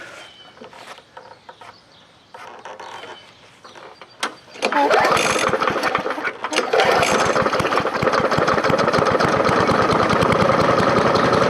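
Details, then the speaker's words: Free scrapyard push mower with a 4.5 hp engine, after the carburetor was refitted: catches on the pull and settles into a steady, even idle; runs properly. "we'll start it up and see how it idles and we'll see if it runs I can't believe it runs"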